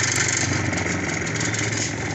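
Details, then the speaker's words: Home spin dryer motor running: steady hum with a fast, uneven knocking on it; the 8 mm clamp bolt on the shaft coupling had worked loose and was causing the knock. "तो जब यह motor start होती है dryer की तो काफी ज्यादा डलक मारती है इसमें आवाज आ रही है"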